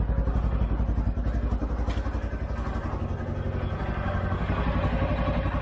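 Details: 2013 CFMOTO Z Force 6 after a fuel pump change, with 45 PSI and the filter primed but the tank probably low on fuel: engine catches and settles into a steady low thumping run of about four beats a second; runs really good.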